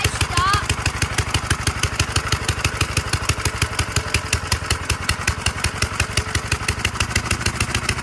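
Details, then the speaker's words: 1946 Gravely Model L single-cylinder, first run after about five years idle, started with ether in neutral at mid throttle; slow even thumping, several beats a second, steady rhythm, normal running. "1946 L hasn't ran in five years sweet"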